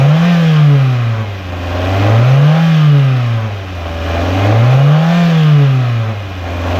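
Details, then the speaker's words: 1996 Toyota Caldina ST195, 3S-GE engine, A540H automatic 4WD, tested in Japan before dismantling: even idle, three smooth blips to mid revs returning cleanly; normal healthy running. "Так, запускаем двигатель. Обороты держит."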